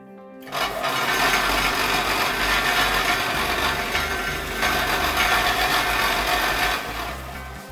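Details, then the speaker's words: Overhauled combined belt and disc bench sander with new bearings, upper roller bushings replaced by bearings, test run on taped used belt: harsh loud rattling roar pulsing 3–4 per second; upper roller noisy, rubber dampers planned. "ci sono ancora alcune modifiche da fare sulla parte superiore, sulla parte sul rullo superiore perché come avete sentito è molto rumorosa, quindi andremo a montargli dei gommini o qualcosa per insonorizzarla un pochino"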